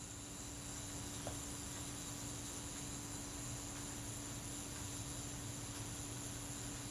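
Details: Kodak Retina Reflex IV self-timer after a naphtha solvent soak and cleaning: a quiet, even buzz at one steady pitch as it runs down, with no catching, sticking or hesitation, so it is running smoothly.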